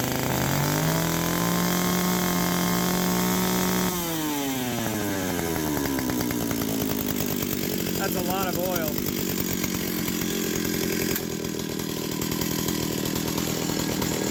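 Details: Stihl 028 WB chainsaw after oiler work (bar had been overheating, oil not flowing): two-stroke screams at high revs then drops to steady idle, running clean; now pumping plenty of oil, unclear if fixed or clog elsewhere.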